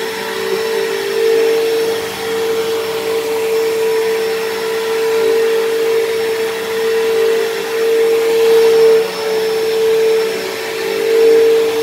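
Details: Dyson DC07 upright vacuum, long unused, running: steady piercing whine at one pitch over loud airflow, shriller than normal; owner suspects dried-out bearings in motor or brush roll, motor bearings already somewhat worn and worsening.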